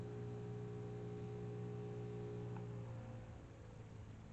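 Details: New bench grinder with two different stones, first power-up after the old grinder broke; low, steady, even hum with clean motor tone, no wobble or rubbing, then fades as it spins down: running fine.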